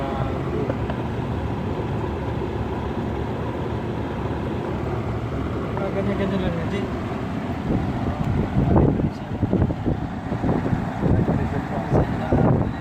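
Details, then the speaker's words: BMW 40Li after replacing the mechanical high-pressure fuel pump (fuel rail pressure had been low, causing long cranking, missing and low power): starts instantly and settles into a smooth, steady idle with steady RPM; rough idle gone. "oh ha engine start in mili seconds and rough idle is gone take a look at the RPM now it is stady okey doc"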